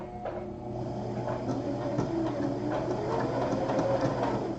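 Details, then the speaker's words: Sewing machine stitching a rope bowl at slow speed: uneven stitching patter that catches and stalls as the upper thread snags around the spool; the machine dislikes slow sewing and keeps getting stuck. "so as this goes nope it doesn't like it y'all look it's getting stuck again"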